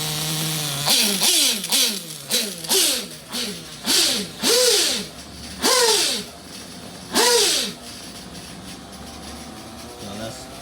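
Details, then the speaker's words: Reds Racing 721 Scuderia nitro engine, new, during break-in run deliberately rich: shrill short rev blips rising and falling back to soft burbling idle; sounds like a monster, normal rich break-in running. "all right she sounds good though she sound like a monster"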